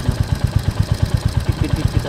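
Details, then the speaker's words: Royal Enfield Hunter 350 at 5,000 km, before its second service: the single cylinder idles with a steady low thump near eight beats a second. The owner hears an extra engine noise that another bike lacks; its source is unconfirmed. "आणि अजून मला थोडसं engine मधून आवाज येतोय माझ्या गाडीचा तुम्हाला ऐकवतो आवाज"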